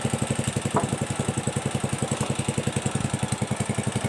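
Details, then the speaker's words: Pressure washer (motorcycle wash machine) pump running: fast even pulsing chatter about three and a half beats a second; weak, low-pressure spray from worn pump seals and valve springs, which are replaced. "Oke jadi keluhan keluhan atau permasalahan mesin steam ini airnya tuh loyo tidak kuat"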